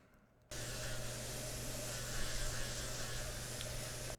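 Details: AYN Thor handheld after teardown and tape-damping attempts: fan starts with an airy rush and a steady low buzz underneath that doesn't change; buzzing fan noise not fixed.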